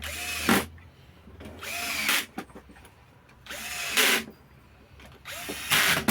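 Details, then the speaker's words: Makita 4329 jigsaw reassembled after repairing a knock in the gearbox: short bursts of smooth even motor whine every two seconds with no knocking; gearbox sounds healthy after repair. "слышим приятный звук мягкий который нас радует"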